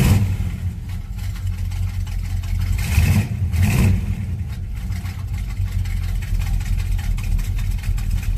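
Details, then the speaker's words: Monte Carlo cold start, idling before fuel filter change: low uneven idle with two stumbling surges, struggling to stay running; owner suspects clogged fuel filter, or failing fuel pump. "just to back it up it's not running right at all goes I hope it's not anything too major"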